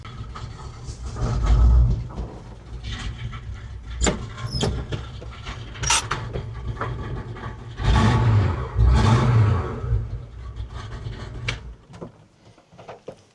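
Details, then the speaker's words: 1970 Chevy C20 V8 truck, after the speedometer drive gear leak fix and a fluid top-up: uneven rumbling bursts of the V8 blipping and settling, no grinding or slipping whine; runs normally, and the drive felt responsive. "right, she sounds good. She's all fold up."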